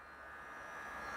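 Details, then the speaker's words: Irrigatia SOL C-24 solar greenhouse watering pump on setting 3 (every two hours): quiet, steady high-pitched buzz slowly rising, no rattle or surging; normal, inaudible a few metres away, runs only minutes a few times daily. "few meters away from it you can't hear it at all so some people think it makes quite a bit of a noise I don't and it only stays on for a few minutes um a few times a day so definitely not something to be worried about"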